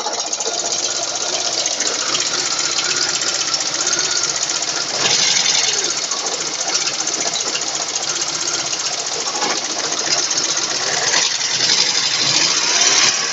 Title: Стук клапанов ваз 2109